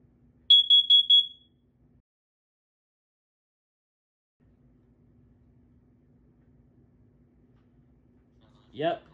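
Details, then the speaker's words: FireX COE carbon monoxide alarm test with battery fitted: four quick high-pitched beeps in one burst, its four-round test pattern, showing a working unit. "the alarm is active you're ready for the test it does four rounds four rounds y yes you'll hear it"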